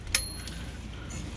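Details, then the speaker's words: Smith Corona typewriter after fixing carriage release arm trouble and a grinding escapement rack by tightening two loose screws: bright margin bell ding, then soft, even carriage rumble with no grinding. "okay over here and grab this arm oh look at that perfect no grind too let's try this side all right no"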